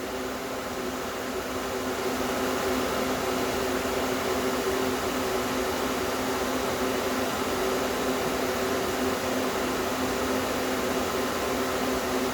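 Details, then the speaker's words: Small compressor in a homemade air conditioner at first start-up, run without the solenoid valve, not yet fully charged, no condenser fan, suction line down to about 49. Steady even low-mid hum, no knocks, rattles or surging; normal compressor running. "at least you can hear it come on now there you go compressor runs nice and cool"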